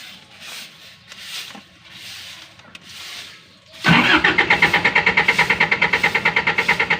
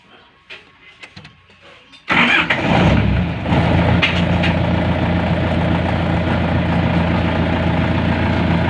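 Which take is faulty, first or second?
first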